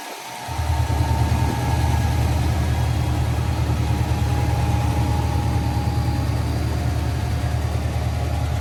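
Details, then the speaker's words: 1992 GMC Sierra 3500HD dually restoration truck started after a new fuel pump, fresh gas and a disabled alarm; catches after a short crank, settles into a steady, even low idle, no knocks or misses: normal idle. "So, we now know it runs under its own power. Just needed a fuel pump and of course, you know, disabling the alarm system that was in it."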